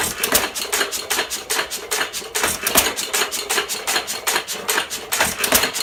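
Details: 1917 Fuller and Johnson N hit-and-miss stationary engine, first run in ten months after priming: sharp, uneven ticks and pops from the igniter and valve gear, firing irregularly as it coasts between power strokes, normal hit-and-miss running.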